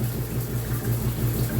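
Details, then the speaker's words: Shower mixing valve at a slightly cooler-than-hot setting: low, rapid thumping pulses of water hammer over running water, occurring only at specific temperatures; pulsing felt in the valve and more severely above it. The valve is unattached; the valve was later replaced. "if I put it down a little lower not sure if you can hear that um yeah we've got we got this thuing sound you can actually see the see this thing"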